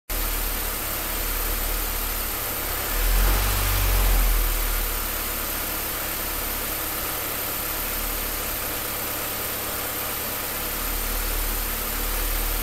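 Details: Low, uneven idle with a loping pulse about three to four times a second and a brief surge; the engine is not running smoothly, rough idle.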